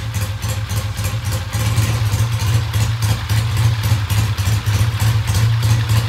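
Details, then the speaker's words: Original-paint 1966 Triumph twin idling with an even, steady low thump and regular beat, no misses or knocks; the bike starts and runs well and the oil checks out good. "okay at this point the bike starts runs sounds great oils all check out good"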